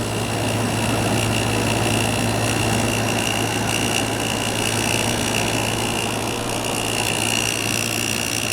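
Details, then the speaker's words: New old stock 1988 Sears Kenmore 6000 BTU window air conditioner, first startup on low power saver after shipping upside down: steady low compressor hum under even fan rush, no knocks; running normally, already cooling. "but it's already cooling already cooling pressure's settling down now it's already"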